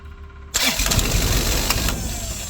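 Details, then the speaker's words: Skyjack SJ 135 scissor lift, battery about 12 V: starter cranked by screwdriver whirs, the engine catches at once and runs unevenly but won't stay running; suspected safety circuit, control relay or switch, possibly low oil pressure switch. "now we know that the uh starter is good the battery is good and the engine is actually good too but doesn't stay running so that's probably going to be uh either a safety circuit or it's going to be some kind of a control Reay or switch"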